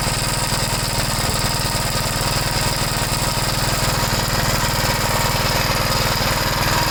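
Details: 1973 Gravely C8 after replacing the oil pump cover seal and gasket, run to check for drips: fast, even single-cylinder putter at steady speed, no misses or knocks; normal running.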